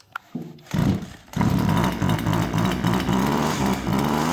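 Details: Husqvarna 136 chainsaw that came in as a no-start, after carburettor screws set about a quarter turn out: pull-start catches and settles into a steady, even two-stroke buzz holding speed without stumbling; running normally.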